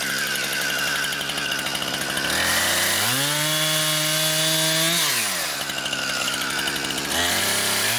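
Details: Brand-new Husqvarna 460 Rancher chainsaw on its first run: it climbs cleanly to a high steady scream under throttle, drops back smoothly, then revs again. The pull is strong and even with no misses, a healthy saw.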